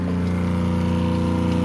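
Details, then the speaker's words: RV water pump running after a priming line was installed: steady even drone with a low hum and fast constant pulse, no surging, drawing water and filling the hot water tank; pressurizing normally. "water pump's definitely working just started pulling down the water so that's good so it should be pressurizing"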